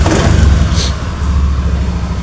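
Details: Honda Beat scooter with a dead electrical system, fuel pump heard humming at key-on, started with the 4-pin relay bypassed by a jumper wire: the engine catches and settles into a steady, low, even idle; the relay is the fault.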